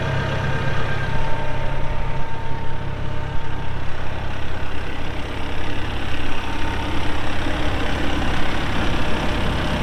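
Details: 2014 Massey Ferguson 1754 tractor, 53.6 hp diesel, only 173 hours: steady, even low diesel rumble settling into a smooth idle with no knocks or misses; healthy normal idle.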